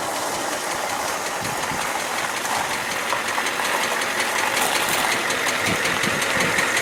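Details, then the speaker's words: 1994 Ford F350 7.3L IDI diesel, nearly 25 years old, fresh glow plugs: loud harsh clatter with bang-bang knock from the bottom end, heavy crankcase blowby at the oil cap; shop suspects cracked piston or bad rings, needs teardown. "I don't know he can pick up that kind of bang bang bang bang bang bang bang quite a loud knock and banging noise especially here at coming up in the bottom"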